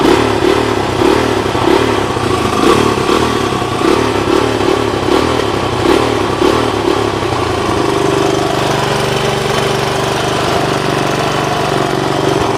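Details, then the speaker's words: 1983 Honda 200X, 5-speed manual, engine smokes a little, needs exhaust header; quick even single-cylinder thumping faster than normal tickover, idle deliberately turned up; good compression on kickstart, starts easily. "I have the idle turned up a little bit, obviously. When I kicked it over, it has good compression."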